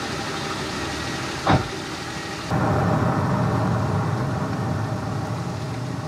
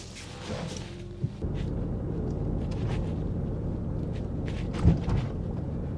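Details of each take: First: Nissan Elgrand E51 with worn front anti-roll bar drop links, driving over bumps and coming off steering lock after a bend: scattered sharp clunks from the front corner over road rumble, drop link ball joints knocking. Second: 2005 Nissan Elgrand E51 on a test drive after the front anti-roll bar drop links were replaced: steady low road rumble with one soft thump over a bump that used to trigger the noise, and no knock after it. Knock cured, suspension quiet.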